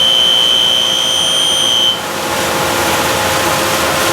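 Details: A piercing, steady high-pitched squeal over fan rush on a JCDC-2 unit, cutting out about halfway; cause unknown.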